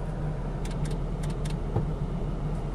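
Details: 2007 Jeep Grand Cherokee at idle with radio cutting on and off: sharp irregular clicks over steady idle near the fuse box as a relay chatters; judged an internal fault in the fuse box module (TIPM).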